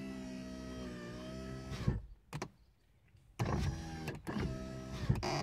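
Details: VAZ 2115 power window: steady motor whine sagging as glass nears top, then short rough scrape before stopping; noise at top of travel; handle tightening, silicone and removing seals did not help, dense rubber pad in corner reduced noise somewhat.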